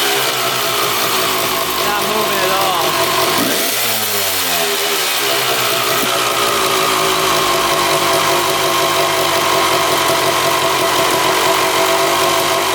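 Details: 1995 Honda CR250 two-stroke on throttle: revs drop sharply then climb back slowly and flat with no crisp pull; bog from power valves not opening, valve shaft not turning 90° as throttle opens.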